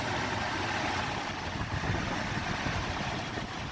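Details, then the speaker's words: 2004 Toyota Tundra 2UZ-FE 4.7 V8 after timing belt kit, water pump, fan clutch, accessory belt and tensioner replacement: steady even idle, smooth low rumble, no knocks, ticks or earlier squeal; normal idle. "go ahead that sounds good yes squealing before could have been a belt could have been fan lunch everything sounds smooth right now"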